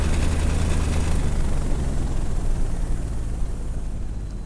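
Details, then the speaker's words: Two-stroke paramotor fitted with a new custom stainless steel exhaust on harder mounts, at idle. A deep beat carries a loose, uneven chatter at low rpm. The cause of the chatter is unconfirmed. "There's a little minute chatter when you get to the low RPMs. At idle right here, you can hear it."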